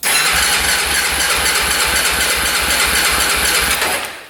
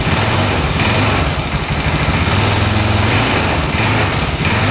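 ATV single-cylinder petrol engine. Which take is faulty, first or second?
second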